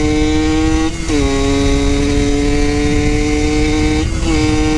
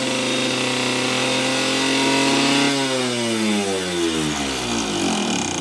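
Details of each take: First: Yamaha YSR50 two-stroke on a test ride after crank seals and engine reseal fixed an air leak; runs without an airbox (owner says it sucks in lots of air at the bottom end); clean steady buzz dipping at each gear change. Smooth, normal running. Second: Yamaha YSR50 two-stroke mini bike, before rebuild: screams at high steady revs, then the pitch sweeps down and dies out. The owner believes an air leak causes the runaway revving; crank seals and engine resealing followed.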